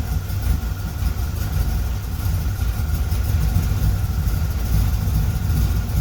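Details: 1976 Corvette Stingray V8 first run in 8–10 years, fresh filter, idle screw turned up, warming up, oil pressure good: deep, even rumble at a steady idle with no misfire, tapping or hunting. Healthy, ran pretty well.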